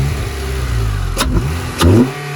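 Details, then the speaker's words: 2013 Honda Civic Si after cleaning the intake and filter to fix code P0172: engine climbs and falls cleanly through two quick blips with a deep intake roar, no misses or stumble; healthy revving. "bro dude that thing be sucking I feel like it's louder than it used to be without the clean filter"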